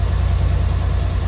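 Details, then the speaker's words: 1964 Willys CJ5 Jeep with Chevy 4.3L V6, engine gone through entirely: steady idle with a fast light rattle on the firing beat; persistent valve train noise, cause unknown. "It's got the rattle. I've gone through that entire engine. I don't know why it makes valve train noise."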